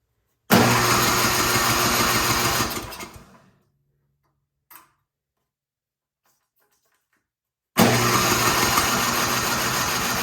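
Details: 24-inch MTD Yard Machines snowblower, carburetor found not bolted on, refitted with two bolts and a new intake gasket, full choke, throttle on: two bursts of electric-start cranking about three turns a second, no firing; fuel delivery fault.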